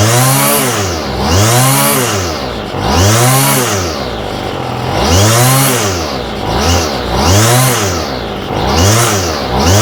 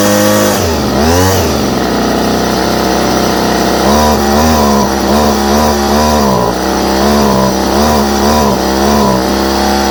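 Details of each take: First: Homelite string trimmer with a new aftermarket Chinese carburetor. Engine revs up and falls back about every two seconds, never settling to a steady idle; the idle screw doesn't reach the throttle arm, so idle can't be adjusted. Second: Homelite string trimmer with new non-OEM Chinese carburetor, started on choke; small two-stroke buzzes high and steady, blipping through throttle with clean pickup; normal running.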